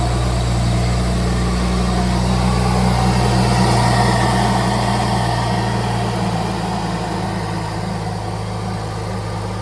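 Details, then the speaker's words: BMW E93 335i turbo six just started after ARM Motorsports full bolt-on kit install: smooth, even low rumble with a steady beat easing down slightly, no knocks or misses; healthy normal running. "All right, ready for the first fire. ARM Performance E93 full bolt-on kit. Starts."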